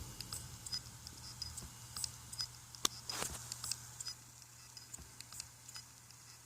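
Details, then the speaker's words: Failed external hard drive on USB: the USB connection is detected but the drive is not. Sharp, irregular clicking over a faint hum as the read/write head can't reach its position. "weiß nicht ob er das hören könnt das ist doch komisch klackern wahrscheinlich findet die ihre neue position nicht mehr also der schreib lesekopf der kommt nicht mehr in seine neue position"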